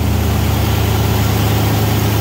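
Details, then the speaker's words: 1993 Ford Bronco just started, idling loud but cleanly: a smooth, even low rumble with a steady pulse and no misses or knocks. "all right guys got her up and running bronco is running she's loud i know she's loud like straight but she's running"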